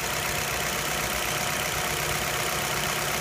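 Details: 2004 or 2005 Nissan Altima that stumbled at idle after a valve cover gasket change, suspected vacuum leak; after an o-ring repair, during a water test: steady, even idle with a constant hiss, no stumble or misfire; no leak found.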